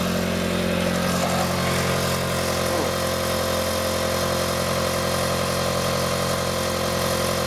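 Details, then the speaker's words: 1997 Mitsubishi Eclipse after repairing a separated flex pipe, recorded in cold weather: smooth, even idle with a steady drone and no puffing, ticking or chuffing; brief steam cleared quickly, little exhaust leak left, system sounds sealed. Normal idle. "I think that was just steam cuz it went away in a real hurry and there doesn't seem to be much uh exhaust leak out of this"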